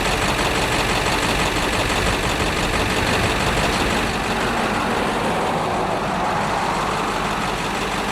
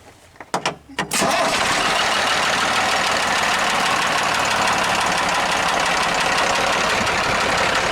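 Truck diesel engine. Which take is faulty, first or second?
second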